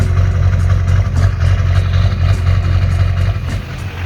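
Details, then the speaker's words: 2001 GMC Sierra 3500 LB7 Duramax diesel, cold idle with a lumpy lope and occasional hiccup in the clatter, better once warm; fuel pressure jumping, blamed on a faulty fuel pressure regulator, before replacement. "there's a little bit of rough idle the truck has a nice lope to it whether it's warm or whether it's cold it does a little better after it's warmed up a bit but definitely when it's cold"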